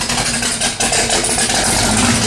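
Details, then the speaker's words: 1979 AMC AMX, AMC 304 V8, first heat cycle on new header wrap, slightly smoky, no choke: steady, slightly lumpy idle with no ticking or puffing from exhaust; header leaks gone, healthy idle. "that first initial cook on our new header wrap a little smoky but she's running again no more header leaks"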